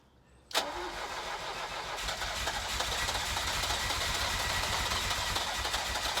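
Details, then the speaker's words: 1983 Ferrari 308 QV with a battery that won't hold enough charge: slow, uneven cranking with a steady rush that nearly catches but never fires; owner suspects the weak battery; weak cranking, fails to start. "I've got two major problems number one is that the battery no matter what I do doesn't seem to hold enough charge to be able to fire the engine over"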